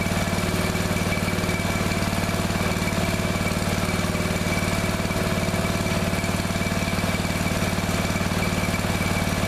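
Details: Neglected riding mower revived, after replacing fuel line and clamps, refitting shutoff and filter, fresh gas, jump pack on weak battery: steady, even single-cylinder beat at constant speed, no misses or surging; runs perfectly now.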